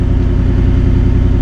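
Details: Salvage-title 2019 Ford F-150 5.0L V8 with front-end damage, just jump-started from a 2-volt battery, check engine light on: a steady, deep V8 rumble, even with no knocks or misses; it sounds healthy.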